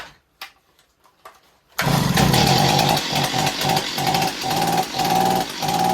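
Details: Long-unused Stihl 028 Wood Boss chainsaw, cracked pulse line removed, filter off, thumb used as choke: fires and holds a high buzzing rev with rhythmic dips; engine sounds healthy, weak, needs tuning and servicing.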